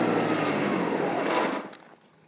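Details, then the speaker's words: Kubota ZD1011 diesel 54-inch zero-turn mower in very tall grass: diesel labours heavily, then collapses and dies within about a second and a half; stalled from overload. "well that was not good whenever you hear it cogging up like that you need to um either back up slow down or something"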